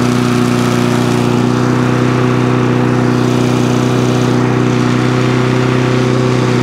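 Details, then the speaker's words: Briggs and Stratton lawn mower engine that would not start, running after quick carburetor clean and main jet refit, air filter removed; steady even single-cylinder note, no misses or surging; runs normally. "there you go start stops cuts does what it should do"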